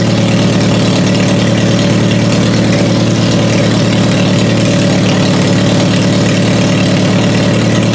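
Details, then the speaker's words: Toyota Solara demolition derby car after swapping in new coil packs to cure hard starting: even, steady idle with smooth low rumble, no stumble or misfire, running much better. "So now it runs so much better, and it took a quick swap."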